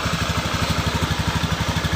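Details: Honda Beat PGM-FI scooter with a complaint of stuttering (brebet), tested by spraying water: even, steady putt-putt with no skips at idle; running normally. The throttle body area is suspected as the cause.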